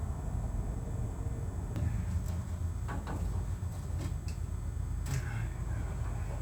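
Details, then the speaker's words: Plymouth Road Runner V8 after engine overhaul, timing heavily advanced after seeming too retarded, near operating temperature, owner mentions pre-detonation: deep, uneven, lumpy idle with occasional tick or clatter on top. Rough idle needing tuning, cause unconfirmed. "Just want it to idle. The timing might be a little too retarded."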